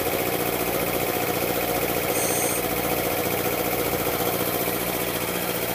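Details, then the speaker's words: Air compressor pump building pressure toward 40 PSI hammers about three beats a second with a dull clack from one cylinder, only under pressure; owner suspects piston slap or a bad piston ring, unconfirmed. "they start to hear it now it's kind of clack in one of the uh cylinders"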